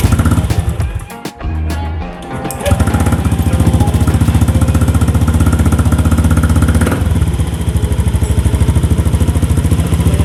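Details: Honda Beat FI scooter after TP sensor adjustment and ISC reset (key cycled on-off five times) settles into a steady fast idle of about 1500 rpm with no stumble; runs clean.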